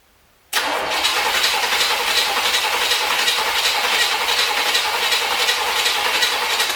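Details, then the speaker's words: 1973 Corvette, long non-running revival, cranking at about 160 beats a minute with a constant hiss and no firing, with gas in the carb; the owner suspects wrong firing order, zero compression or lost spark, and possibly water. "guess my firing order could be wrong or there could just be zero compression or somehow I've lost spark again could be one of those things"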